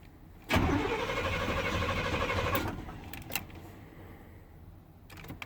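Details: 1990 Chevy 350 TBI truck, cold start at about 50°F: engine catches with a rush, runs unevenly about two seconds, then dies; starts then stalls when cold, cause unknown, pumping gas doesn't help.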